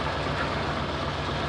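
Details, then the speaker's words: 1994 Suzuki Escudo JLX: steady, even low idle with a constant hum and no knocks, misses or ticks; engine sounds normal, idle stable. "Untuk mesin ini bagus sih. Suaranya masih normal ya, langsam, stabil."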